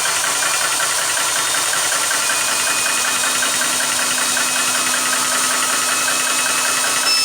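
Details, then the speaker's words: Vevor PCP high-pressure air compressor running after being fixed: steady high-pitched hammering whir at constant speed, no stalling or surging. "it's going in all right it's running"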